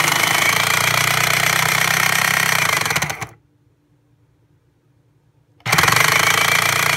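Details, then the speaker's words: Breville Smart Grinder Pro grinding beans after a stone got into it: a harsh, rattling grind, a pause, then the same rough grind again. The burrs are damaged. "okay still doesn't sound good which is how it's sounded ever since we initially got the rock in there"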